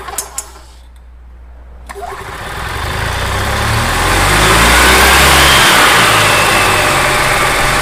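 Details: Gas EZGO TXT golf cart that had run rough and skipped badly from worn valves, after repair: a few clicks and small catches, then it climbs smoothly to a steady, even rev with no misses or knocks. Normal idle and revving.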